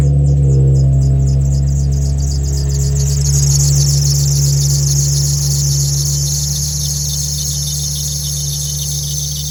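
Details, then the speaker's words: Nissan 350Z cold start at idle: sharp pulsing high squeal chirping about four times a second over engine hum; worn accessory belt, missing a tooth, also squeaks on the highway and in low gears, replaced along with a lightweight crank pulley. "is it would also squeak whenever driving on the highway whenever you got off you know first gear second gear sometimes even third this band is just done for"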